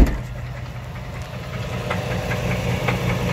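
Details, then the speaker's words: 2005 Dodge Ram 1500, 5.7 Hemi V8 running after a rev: uneven idle rumble with faint, scattered sharp knocks from low in the engine. Owner suspects a bad bottom-end bearing; others suggested the flexplate. Unconfirmed. "Sounds like the bearing. The bottom end. Yeah, man, I think it's the bearing. I definitely think the bearing's bad on this."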